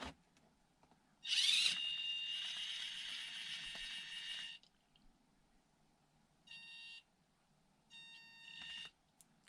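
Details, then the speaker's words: Cheap blue China brushed ESC in SCX24 on 2S: high steady electronic whine in bursts as the motor tries to start, jerky, impossible to start smoothly; annoying noise, not crawler-capable. "you hear the noise not smooth at all and annoying noise too so no crawler you see it only runs on 2s"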